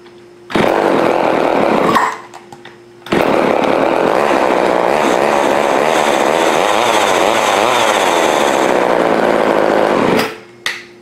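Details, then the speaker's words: Old Craftsman chainsaw, two-stroke, after partial carburetor rebuild with diaphragm repositioned, restart test: fires after a short first catch, holds a steady high buzz about seven seconds, then shuts off; runs fine. "well success all right next thing I've got to make a little air filter for this"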